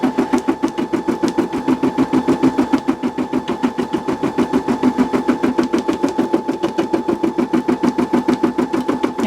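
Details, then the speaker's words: Brother SE625 embroidery machine at increased stitch speed: steady rapid clatter over constant motor hum, even and unbroken; normal stitching noise, though the owner thinks the track may need a little oil. "And the noise that you hear the machine making is completely normal."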